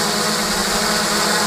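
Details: Quadcopter on a Sparky v1 running Cleanflight, Turnigy Plush 30A BLHeli v14 ESCs on med-high timing, Sunnysky V2814-9 870 kV motors, props reversed, at about 50% throttle: buzzing whine wavers unevenly; speed fluctuation from flight-controller vibration due to overly soft anti-vibration foam.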